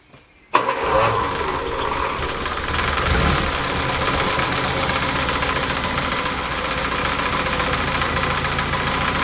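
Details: Lotus Elan after 500 miles, retuned with airflow meter and Colortune plug; catches after a brief crank and settles to an even, steady tick-over around 900 rpm, smooth and healthy. Normal idle.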